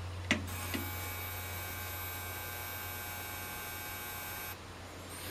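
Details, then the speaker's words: Trace Xantrex SW4048 48V pure sine wave inverter just switched on with no load: a steady low mains-type hum with a faint high buzz. This is normal search-mode hum; the inverter shuts down automatically when no load is found. "if there's no load you see the humming you see I mean you can you hear the humming sound like then it search for loud and then if there's no load on the system it will automatically shut down"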